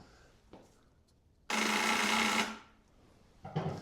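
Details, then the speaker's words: 1992 Suzuki Intruder 800, sat since 2023, new ignition switch fitted, lights work: pressing start gives a second-long harsh rapid buzz with no cranking, from the starter magnet/solenoid area; owner suspects the solenoid, to be removed and checked. "We're supposed to check this magnet and make sure it's opening and closing like it's supposed to, and it was doing that. And I think that's what I hear right now."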